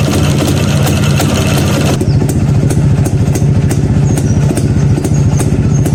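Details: Neglected Yezdi B Model two-stroke, first start after about nine months parked: catches and settles into a quick, even popping idle with a steady low beat and no misses; normal idle.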